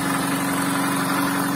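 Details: VAZ-2110 (Lada "desyatka") 8-valve injector, after replacing the idle air control valve: the old one stuck extended, causing stalling at idle and no start without gas; now steady, even idle hum, no hunting or stumbling; normal idle.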